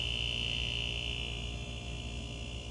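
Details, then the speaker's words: GE French door refrigerator compressor, previously clicking on and off with fridge at about 68°F, after fitting a universal 3-in-1 start capacitor: runs continuously with steady low hum and constant high whine, no clicking; running normally. "so there you are problem solved when the compressor just clicks and cuts off it needs a threein one star capacitor which is a universal fit"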